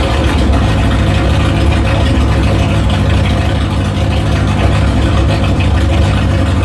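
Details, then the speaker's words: 1973 Opel GT with 2.4 stroker Opel engine, fuel injection on MaxxECU, no muffler, first start, tuning unfinished: loud, heavy, uneven unmuffled idle with a deep throb; rough idle. "has no Muffler it's loud and rough as hell but it sounds like a fire breathing dragon and that suits me just fine for now"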